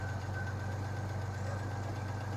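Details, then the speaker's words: 1986 Chevy S-10 with a 2.8 liter engine, at idle after long storage, with a misfire: a steady idle with a light, fast clatter on top; owner suspects a rocker or oil noise; valvetrain ticking at idle. "sounds like a rocker I fell off makes sense I ain't get any quieter"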